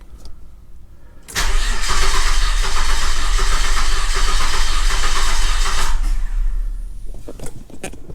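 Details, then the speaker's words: 2002 Nissan Xterra after a breakdown, fuel pump confirmed getting power, timing not yet set: cranks and catches roughly for about five seconds, stumbling and uneven, then dies; rotor found not at cylinder one at TDC, distributor 180 degrees out. "and then I took the rotor cap off to you know check to make sure our rotor was at number one over here and it's it's not anywhere close"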